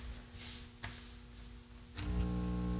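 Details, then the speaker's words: 1931 battery charger powered up and loaded to just under 5 amps: clicks, then a deep, heavy transformer/reactor growl that sets the whole bench vibrating. "Oh, that's nasty. The whole bench is vibrating. Just under 5 amps. And that is some current."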